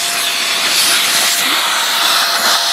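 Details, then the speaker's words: Greenote corded AC stick vacuum (18 kPa, HEPA, bagless), pulling in crumpled paper: strong steady high-pitched suction roar with clean motor whine, no rattles; plenty of suction, normal. "It got it. No problem. Plenty of suction on this, so even though it's a stick vac, while it may not do the job of a more established professional vacuum for quick pickups and that, there's plenty of suction here."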